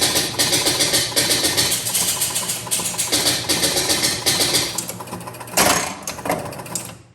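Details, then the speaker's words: 1977 Gottlieb Jungle Queen electromechanical pinball, credit switch pressed on coin door: fast even run of relay clicks and reel clatter about five seconds then winds down; normal full game reset, drop targets reset, ball served. "okay so that actually did a reset on the whole machine"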